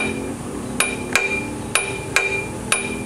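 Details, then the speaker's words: GM 3.8 engine, belt off, crank pulley turned by hand: five sharp uneven metallic clinks; harmonic balancer outer ring has separated from its rubber bond to the hub; fix is a new harmonic balancer. "it's supposed to be bonded to this but it's not it's broken so that's where we're getting our noise"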